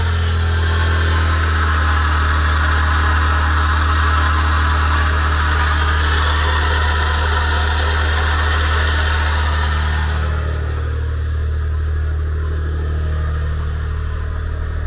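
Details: Abnormal noise at idle: fast, even whirring chatter from the accessory drive; owner suspects a pulley whose cover let water in, not confirmed.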